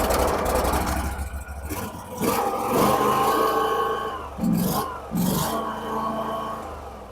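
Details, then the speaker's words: Garden tractor with a 16 hp Briggs Vanguard engine on a cold start: cranks, catches quickly and settles into an even, steady V-twin idle with no knocks or misses, running "like butter". Normal cold start and idle. "Like butter."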